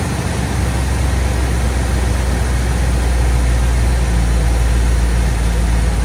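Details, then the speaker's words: 1987–1995 Ford F-series truck with a 5.0/5.8 V8 and EEC fuel injection, after throttle position sensor testing for hard starts, rough idle and cutting off. It warms up to a deep, even idle that holds steady with no dips. "It takes a minute to get up to temperature there. Oh yeah, that's pretty normal for one of these type of EC5 fuel injectors."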